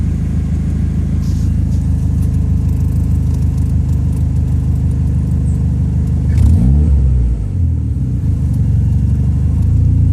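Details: Toyota ST205 engine: deep lumpy note with an uneven, stumbling beat as it is blipped, dipping and surging around six seconds; misfire.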